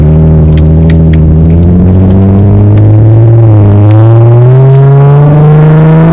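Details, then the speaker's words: 2005 Infiniti G35 coupe, 190k miles, just after new spark plugs and ignition coils cured sputtering and slow acceleration: strong full-throttle pull climbing smoothly with no stutter, hesitation or sputter; engine healthy. "Like, that's all I wanted. All I wanted was it to make that sound again. No hesitation, no, you know,"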